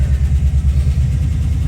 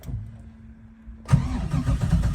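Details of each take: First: Engine on a Holley Terminator X EFI system, first start after no-start diagnosis: it catches and settles into a smooth, even low rumble with no knocks or misses; normal idle. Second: Engine on a Holley Terminator X EFI system: the starter turns it over at a steady rhythm but it never fires; crank no start, with low battery voltage sag dropping out the key-on relays.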